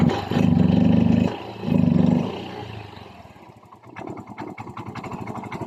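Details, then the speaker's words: Yamaha Mio i 125 scooter engine after repair of a piston slap/connecting rod noise by replacing the block set, settling into an even steady idle putter with no top-end knocking. "Ito naman ang tunog ng kanyang makina pagkatapos natin mapalitan ng bag k black set"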